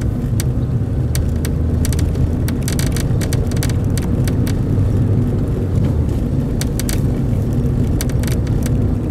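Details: Toyota Corolla XRS while driving: irregular sharp ticks in clusters over road rumble from rear plastic deck near rear window; appears after sitting in the sun, quieter or gone at night or when cold.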